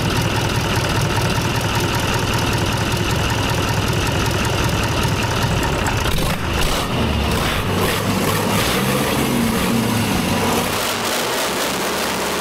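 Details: Rebuilt Tatra 148 diesel on a stand at first start after overhaul: deep, steady run holding even throughout, no knocks or misses; engine healthy.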